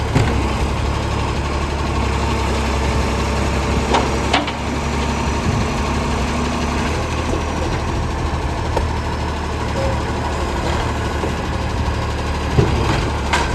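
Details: City of Joondalup Acco SL061 diesel truck at idle: a loud, deep, steady roar, harsher than a sealed system; exhaust leak.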